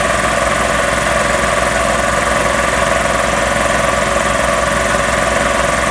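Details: Magna Force air compressor after repairs, building pressure toward a 160 cutoff: steady, even motor-and-pump drone with fast regular chug, no knocks or squeals; running normally.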